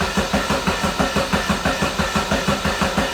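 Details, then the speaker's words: $500 barn-find Mazda Miata, start attempt after fixing the main fuse. The starter churns the engine about three times a second, steady and even, but it never catches. Crank, no start: no fuel is being delivered. Bad old gas and the fuel pump are suspected. "next step would be to check and see if we have spark and then it's see if we have fuel yeah it's probably bad gas too"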